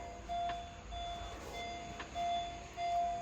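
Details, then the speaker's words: Headlights-on warning chime with engine off after jump-starting a dead battery: clear mid-pitched electronic beep repeating about every half second because the headlights were accidentally left on. "oh it's beeping because i left this on yeah because i touched with the uh the headlights"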